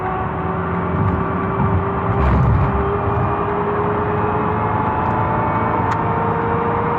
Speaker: now off [Music] that noise is called gearwine and most likely it's in the front transaxle and the result of either old fluid or worn teeth in the gears in the transaxle